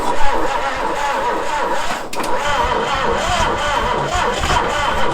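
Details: 1966 Ford Galaxie 390 big-block V8 after sitting 35 years, first start attempt with plugs fitted, original coil reconnected and fully charged battery: slow, rhythmic cranking humps with ragged bursts as it tries to catch; start uncertain and uneven.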